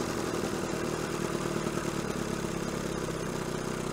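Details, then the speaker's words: 1970 Evinrude 25HP outboard after condenser change, after a choked cold start: steady, even two-stroke putter with a light rattly top end, idling low and nicely; smoke much improved, though earlier it seemed to miss a little. "thought that wasn't too bad though it does sound pretty good it's actually hiding quite idling quite nicely smoke is a lot better than it was so and actually it's idling way down"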